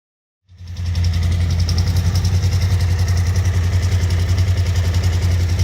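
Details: Suzuki V-Strom DL1000 at idle: an even idle with a light, regular tick riding over it at roughly three and a half per second, a top-end ticking noise.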